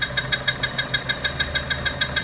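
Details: 2011 Chevy Cruze at idle: sharp squeaky chirps repeat about six times a second over the engine; faulty PCV valve built into the valve cover, fixed by replacing the whole cover.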